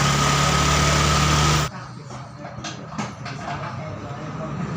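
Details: Fuel-injected Honda Vario 125 just rebuilt after arriving dead: idle stays high and steady and the idle adjustment has no effect, TP sensor reading 0.83.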